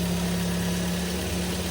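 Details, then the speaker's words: Twin Z engine after overhaul for heavy oil burning (loose pistons, oil-fouled plugs), broken in: smooth, even idle with a steady low hum and no knocks, ticks or misses; runs quiet and healthy. "Walang talsik. Ayos. Tahimik na. Ganda na boss."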